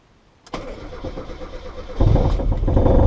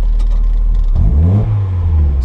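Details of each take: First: Mazda MX-5/Miata first start after standalone ME221 ECU install: cranks about 1.5 seconds, fires and settles to steady idle, stumbles slightly on throttle; starts normally. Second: Mazda MX-5 Miata just converted to a standalone ME221 ECU, first start: steady idle, then a throttle blip rises with a slight stutter and brief hesitation before the revs pick up and fall back; possibly TPS-related, cause unconfirmed.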